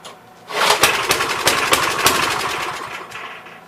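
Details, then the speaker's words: Troy-Bilt tiller, parked long: ragged popping run of about four firings a second fading out in three seconds; had spark, about 82% sure it's a bad spark plug. "I'm about 82% sure. It's probably got a bad spark plug."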